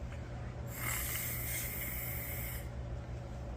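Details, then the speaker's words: Generator with surging idle, carburetor removed: air blown through with both sides pinched gives a steady airy hiss for about two seconds, showing primary jet and side ports clear. "so I know that my needle seat is clear I know that my primary jet is perfectly fine"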